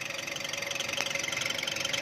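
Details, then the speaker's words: 2010 Chevrolet Captiva petrol engine idling, about 310,249 km: fast fluttering high-pitched rattle and steady tone from the belt tensioner; fatigued tensioner spring lets the belt go slack, tensioner pulley to be replaced. "จะเห็นได้ว่ามันจะมีเสียงอันนี้คือสปริงมันล้านะครับ"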